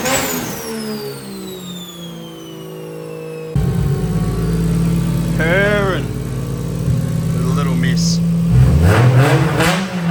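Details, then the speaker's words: 2JZ six-cylinder junkyard engine swapped into Toyota MX83 Cressida, Haltech ECU, first start after timing check: idles evenly, snaps up cleanly on quick throttle blips and drops straight back, responsive, no misfire or knock; normal free revving. "she sounds crispy the junkyard motor sounds healthy"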